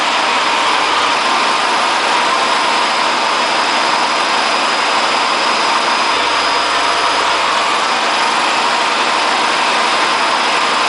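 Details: Hotpoint Aquarius WF540 washing machine on 1400rpm spin: loud, steady jet-like roar from broken, worn drum bearings.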